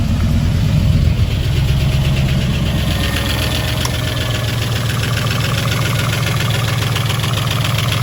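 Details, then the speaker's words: Rebuilt V8, all fresh OEM parts, cold start: deep even idle, no clear ticking; only a very slight noise while cold, valvetrain sounds healthy. "that's not bad that is not bad still a very very slight there but it is cold"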